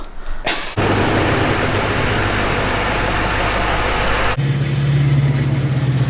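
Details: Duramax LMM diesel pickup clatters into idle, then a steady low droning whine rises over it and holds; power steering pump whining from low fluid, with an oil leak noticed on the engine.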